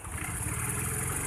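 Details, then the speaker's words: Honda Vario 110 revving: uneven, stuttering hesitation at low rpm on initial throttle, with mid and high rpm normal and vacuum rubber not leaking. Carburettor and valve clearance are checked as likely causes. "Jadi kalau mengenai jalan atau putaran tengah atas normal, tapi putaran bawah tidak normal."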